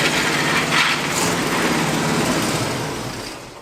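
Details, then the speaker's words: 1977 GMC Jimmy revived after sitting abandoned, test-driven in gear: rough grinding rattle over the engine that fades as it slows, quiet in reverse; first thought in front of the transfer case, but traced to the transmission. "i still hear noise and it kind of sounds like it's in front of the transfer case"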